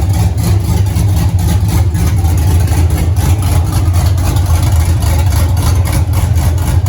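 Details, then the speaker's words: 1983 Mustang with cammed 5.3 LS from 2002 Avalanche and 4L60E, oil pressure 40 psi idle, 70 revved, no leaks: deep loping steady rumble, no tapping, grinding or misses; healthy idle, everything runs good. "So Riley's ecstatic. Everything sounds good. Everything ran good."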